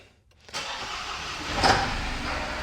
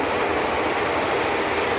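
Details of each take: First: Supercharged Audi A6 junkyard rescue after the timing tensioners were disturbed: cranks and catches into an uneven, stumbling idle with a ragged beat, most likely from incorrectly set cam timing. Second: Supercharged Audi A6 rescued from a junkyard, idling after engine work: even, quiet idle with zero timing chain rattle; the loud cooling fan ran because the coolant temperature sensor on the crossover pipe was left unplugged. Engine healthy.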